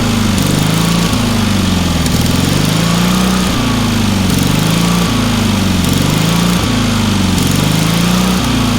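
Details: Trailer-mounted man lift's small single-cylinder pressure-lubricated engine, with considerable water found in the oil and corroded intake: runs steady and even with smooth governed beat, no knocks or misses; runs well, starts easily.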